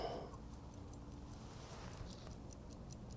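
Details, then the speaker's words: Vintage Howard Miller ship's bells clock after repair, just wound: even, steady ticking about three beats a second with no skipped beats; before, it missed beats and stopped. Escapement now running smoothly. "sounds good wow that's sounds really good it sounds real smooth um before I would hear it kind of like Miss A Beat and then it would stop"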